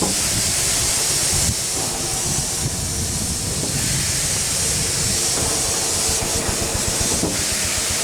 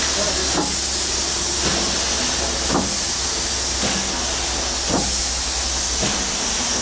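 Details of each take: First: 1895 Bates Corliss steam engine, 14" bore x 36" stroke, 10 ft 9000 lb flywheel: steady hiss and soft even chuffing, no knocking; only steam leaks remain, possibly a broken pipe in the steam chest. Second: 1895 Bates Corliss steam engine, 14" bore x 36" stroke, 10 ft 9000 lb flywheel, first start in 80+ years on about 50 psi: sharp knock about once a second per turn over steam hiss; connecting rod bearing needing adjustment.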